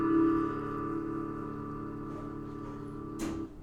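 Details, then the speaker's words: Roland JC-50 guitar amp: strummed chord rings through the amp, then tapping the chassis kills the sound almost instantly; not a scratchy pot, intermittent signal dropout from an internal connector that worked loose. "it it almost sounds like a scratchy pot but it it's not so in a second you'll hear it die out"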